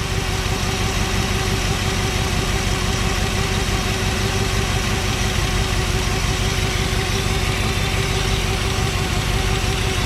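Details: 1963 Chevrolet Impala SS V8 off the road 35+ years, after fixing a fuel line leak with a crush washer: steady deep even idle with a smooth low rumble, no stumbles; normal idle.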